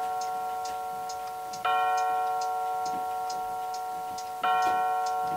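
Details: Solid oak mantel clock with a quartz chiming movement from Craft Time Clockery, speaker mounted inside: steady light ticking and two clear, even chime strikes, clean tone, no rattle; normal chime and tick.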